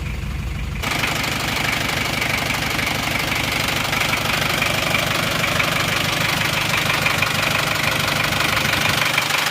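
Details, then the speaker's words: Isuzu Panther Miyabi diesel after an engine overhaul with original rings, bearings and seals, injection timing retarded slightly, and glow plug wire fixed. Warm idle is even, crisp and smooth with no miss and no smoke. Normal idle. "suaranya lebih rata lebih renyah lebih halus asap ditutup isian Uli juga tetap bagus enggak ngasap"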